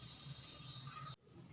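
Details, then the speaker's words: Polytron slim CRT TV with rainbow picture then protect/standby; loud rough high-pitched hiss on power-up, cut off abruptly, high-voltage leakage arcing; part must be replaced, temporarily insulated instead. "Bismillah Aduh Kasar banget nah jadi ini mau nggak mau harus kita ganti takutnya terjadi percikan Arjuna itu terdengar ya"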